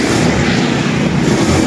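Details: Honda Beat scooter that would not start, test run after its carburetor was cleaned and reassembled: a loud, even buzz with no stumbles or surging. It now runs cleanly and smoothly.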